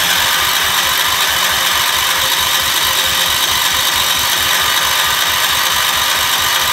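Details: Gravely 812 first start-up after engine rebuild, voltage regulator suspected of overcharging: even, quick engine pulse under a loud hiss with no knock or miss; running smoothly.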